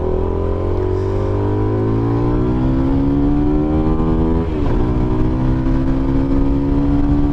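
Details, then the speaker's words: SBM250s motorcycle, riding: low, muffled exhaust tone climbs with revs, dips briefly at a gear change, then rises again; clean, even pull; normal exhaust note under acceleration. "Ainda mais quando você deixa ela aí, sem trocar a marcha. Então é muito gostoso o sonzinho dela."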